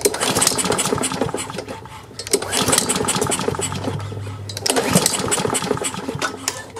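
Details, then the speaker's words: Free Craftsman self-propelled push mower, before repair, with a very dirty air filter, gas and oil, pulled on choke: three recoil pulls, each a quick whir and rattle with no firing; no start, needs carburetor cleaning. "Well, it's cranking. It looks like it just needs a little carburetor cleaning."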